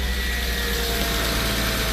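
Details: Porsche 986 Boxster first startup after IMS bearing replacement, new pulleys, pump and AC compressor; smooth even idle with steady low hum, no ticks, knocks or the earlier exhaust and AC compressor rattle; normal idle.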